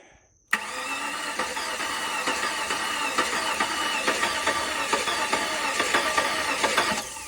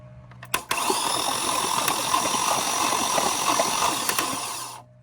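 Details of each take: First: Flood-damaged 2004 Cadillac DTS convertible, first start attempt with an empty fuel rail. The starter cranks at about four beats a second with uneven compression pulses and does not catch. The owner thinks leftover ATF in the cylinders caused the uneven cranking. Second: Flood-damaged 2004 Cadillac DTS convertible cranking with ATF in the cylinders: an even four-second whir with light rhythmic puffs and no compression drag. The starter gets power and is good, and the engine turns freely.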